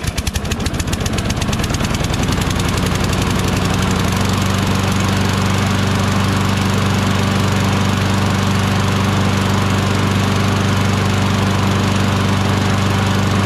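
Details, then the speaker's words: Craftsman mower with Briggs & Stratton Quantum 6.75 engine, after flywheel brake kill-switch cable replacement: it starts with a fast rattly firing that at first seemed to run choked, then settles to a steady, even drone. It now runs well, though the carburetor probably needs attention. "Now it sounds good. Now it sounds good, but I bet you the carburetor needs a little attention."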